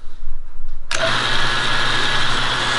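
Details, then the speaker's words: 1963 Teletype ASR 33 during transmit section restoration: motor starts sharply then steady hum and light whir with no printing clatter; owner suspects the answer-back character suppression switch is on and causing a short, not confirmed. "here nothing happens and I think it's just suppressed by the character suppression myself going by the motor"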